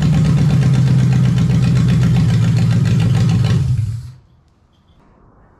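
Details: Lexus 1UZFE V8 barn find, first start after standing 6 years, running before going into a Jeep KJ, with ATF in the cylinders causing smoke; smooth even idle for a few seconds, then shut off. Normal idle.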